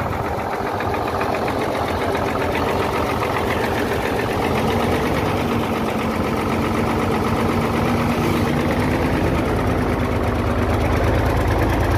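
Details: Hino J08C truck diesel after overheating, full of water, top cover open: heavy hard knocking about three times a second over a rough idle from cylinders one and two, with high back compression; pistons and rings seized.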